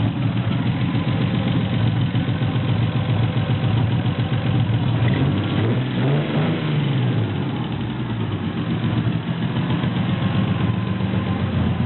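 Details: SC300 idling low with an uneven, stumbling beat instead of a smooth steady pulse; one cylinder dropping out, an engine misfire at idle.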